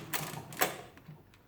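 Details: Rebuilt Marchant KE mechanical calculator, adding 1-2-3 in add mode. A couple of crisp clacks then softer settling clicks, one clean cycle with the keyboard clearing and the correct result. Normal add cycle.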